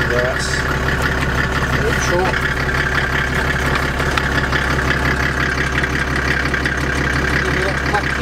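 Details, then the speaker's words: Land Rover Defender with OM606 diesel and automatic conversion, started after a week sitting, idling with transfer box in neutral: steady idle with faint high whine and light irregular ticking; source unidentified, ticking not heard in reverse. "so the car's in neutral on the transfer box just wanna see if you can hear this noise"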